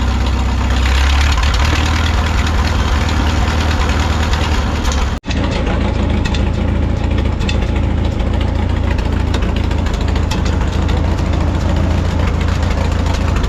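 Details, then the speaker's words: 1951 Farmall M tractor idling after new points fitted and contacts filed: low uneven idle with irregular stumbles and sputters, hesitation unchanged; owner suspects carburetor, not confirmed, to be swapped for rebuilt unit. "no luck there still doing the same thing but at least we know we have good points in there now"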